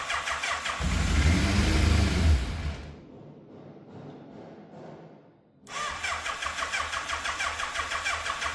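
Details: Fire-damaged Yamaha FZ750, 41,000 miles, choke on, carbs primed: sluggish labored cranking, catches for a second or two, then dies; owner suspects a weak battery.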